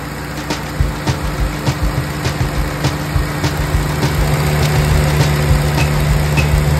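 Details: 1946 Willys CJ2A Jeep four-cylinder running for the first time in about five years of storage, after Marvel Mystery Oil in the cylinders and an oil change, choke half out. It holds a steady, even fast idle with oil pressure up; earlier squeal suspected belt.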